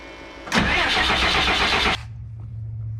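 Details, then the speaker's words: 2001 Freightliner bus with 24-valve Cummins diesel after fuel filter change; supply line bled and fuel present, start attempted: about 1.5 s of cranking that never catches, then a low hum; still won't start, injector lines next to be cracked. "Okay, well, the next thing is to crack the injector lines there, and we will do that. Just have to go get a wrench. She's being a little crabby."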